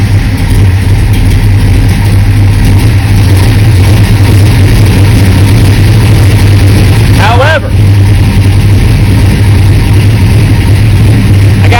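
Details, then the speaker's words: Big-block V8 with Sniper EFI, owner fighting low-voltage charging issues: deep loud drone stays uneven and lumpy when revved; misfire under throttle persists despite new charge wire, owner suspects fouled plugs, cause unconfirmed. "it gas again. I mean, this is just ridiculous. I thought the charge wire would have fixed this, and it seemed like it did when I first put"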